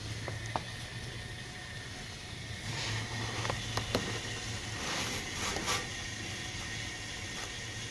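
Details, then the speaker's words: Engine block heater just plugged in: quiet steady kettle-like hiss like liquid starting to boil, with occasional sharp ticks as the engine block metal expands; block heater working normally. "เพียงเสียบปลั๊กตัวทำความร้อนแล้วรอและฟังคุณจะเริ่มได้ยินเสียงคล้ายกับเสียงกาต้มน้ำไฟฟ้าฟังดูเหมือนของเหลวเริ่มเดือดและบางครั้งก็กระตุกเมื่อโลหะในบล็อกเครื่องยนต์เริ่มขยายตัวและคุณมีมัน"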